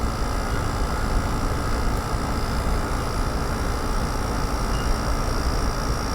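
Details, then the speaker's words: Loud compressor on a curbside GE AEL05LQG1 5,050 BTU window air conditioner: a steady roar and constant hum. The condenser is plugged with little airflow and too hot to touch; owner suspects this contributes to the noise and the 5.2 A draw. "And maybe that's why the compressor is so loud."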